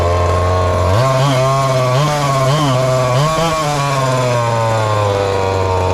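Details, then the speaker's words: Ported little 2375 chainsaw with carb and ignition-timing mods, running methanol: lumpy burbling idle, then short choppy blips that won't clean up. Still too lean with the carb tuned fully rich; the carb needs drilling out. "we've tuned on it to get it as rich as i would want it's gonna have to be drilled out somewhere"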